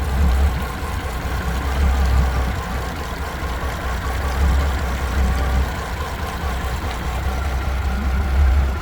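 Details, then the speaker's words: 3-year-old Mercury V6/V8 outboard on a 21 Montauk, no fault codes: low, uneven loping idle, idle air control valve struggling, sounds like running on 5 cylinders; mechanic suspects worn spark plugs, common at this age, unconfirmed. "The idle air control valve really tries to keep up with it. Hear that? That sounds like she's running on 5 cylinders."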